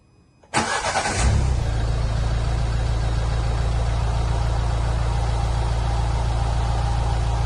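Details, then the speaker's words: Nissan Pulsar 1.5 dCi diesel: one quick crank catches, then a loud, deep, even tractor-like clatter at idle; owner says it is simply a loud diesel, nothing wrong, healthy idle. "So I've got a feeling that this is going to be so loud when it's not as bad as you think. But me, from the cars I've had, it's a loud diesel."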